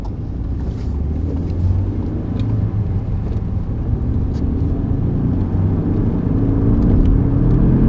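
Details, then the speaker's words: 1995 BMW E36 318i driving on wet roads as speed builds: steady road rumble with a faint whine rising in pitch. The previous owner's mechanic said the rear wheel bearings are worn. "Can you hear that whining sound? Now, I was told by the previous owner that the mechanic had looked at it and said it was worn rear wheel bearings."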